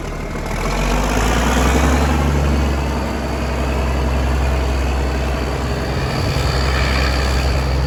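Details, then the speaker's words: Versatile 895 tractor diesel after its first service in years, turbo clamp refitted: deep, steady rumble with an even beat and no knocks or misses; normal diesel idle. "But I love it. That sounds great. I'll take that."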